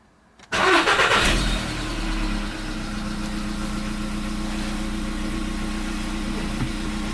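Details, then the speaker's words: 2015 VW Polo Sedan CFNA at 76,000 km, cold start with a new battery, long-standing cold-start knock now gone: cranks briefly, fires, flares, then drops to a smooth steady cold idle with no knocking. "Вот так, проехав 76 тысяч, двигатель внезапно перестал стучать."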